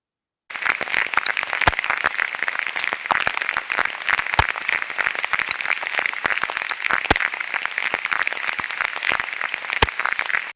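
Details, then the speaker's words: Ultrasound on a deteriorating slow-speed bearing: coarse hiss broken by irregular repetitive impacts, cracks and crackling pops, clearly different from a good slow bearing's smooth white noise; bearing condition deteriorating. "we started to hear the coarse sound we hear repetitive impacting sounds crackling noises that indicate a condition of the bearing is deteriorating"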